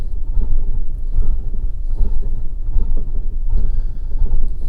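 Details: 2011 Fiat 500 1.2 Lounge, Copart salvage car, on diagnostic scanner with spark advance fluctuating: deep, uneven idle rumble with lumpy surges roughly every second; rough idle, misfire suspected, cause unknown.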